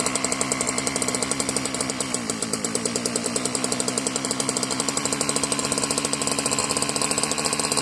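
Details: Marketplace Homelite-type string trimmer, bottle-fed 2-cycle fuel; sticky throttle cable, and dirt blew out of the muffler on starting. Fast, crisp, buzzing firing with a raspy edge; it runs but sounds different, almost hopped up per the owner. Cause unclear.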